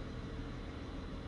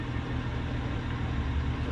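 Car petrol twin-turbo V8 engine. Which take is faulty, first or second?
second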